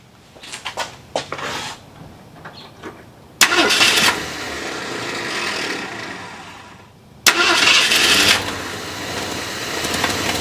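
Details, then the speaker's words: Cold start at about 71° on a V8: cranks and catches twice, then uneven stumbling idle that hesitates and dips; warm it idles fine at 570–590 rpm; cause not yet known. "so you can kind of hear the aolan kind of rough it hesitates all right so I just want to note that when this is warmed up it does idle fine"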